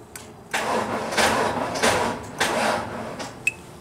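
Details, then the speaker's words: Dead Genie boom lift on a cold site, NOCO GB70 boost pack at 11.9 V: several uneven, labored cranking bursts that die out and never catch; slow crank from weak battery, needs more juice. "damn needs more juice can I get my vehicle over here with jumper wires"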